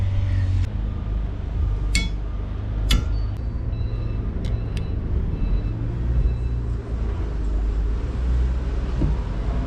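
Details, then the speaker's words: Renault Master van idling after fixing scraping wipers: new wiper linkage and blades had squeaked until the bent arm was straightened so the blade sits flat on the glass; now wipers sweep quietly, no squeak or chatter, normal operation. "Идеально. Не скрипит, не трещит. Всё хорошо."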